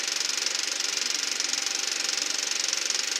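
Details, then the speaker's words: Eberspacher B1 gasoline heater for a VW Beetle, bench test without charger: fast steady fuel-pump puttering, about three ticks a second, no burner roar; no ignition, and voltage dropped from 14 to about 10 volts. "That's the fuel pump that's making that puttering noise. Nothing. Doesn't sound like it's pumping fuel. Well, it sounds like the pump is running,"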